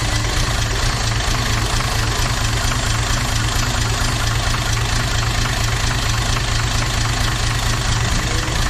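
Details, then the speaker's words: Toyota 2H turbo diesel idling lumpy with a heavy uneven thump; cracking injector lines changed the back five but not cylinder one, so dead cylinder one misfire, cause not yet found. "all right so whatever has gone wrong is in number one cylinder so I went through and cracked all the injector lines and you can hear the difference on the back five but there was no change to the way ran on that front cylinder"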